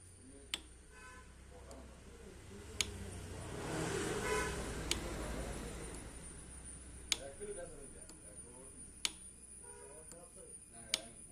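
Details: Expulse clutch complaint: low engine idle with a sharp tick about every two seconds riding over it, clutch-side noise, cause not yet found.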